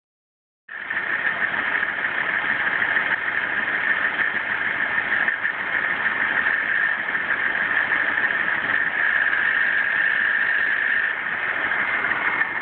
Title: Grinding noise most noticeable on cold start